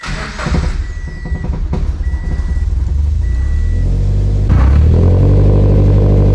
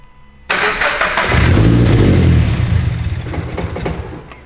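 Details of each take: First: Turbocharged Scion FR-S first start after fitting new fuel system, fuel pump and larger injectors: chimes, short crank, then catches into smooth steady idle with no stumble or leaks, running better than before; normal start and idle. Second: Turbocharged FRS (GT86) first start before new fuel system installed; engine catches and flares, revs sag and waver as it struggles to stay running under rev attempts; rough running, cause not confirmed.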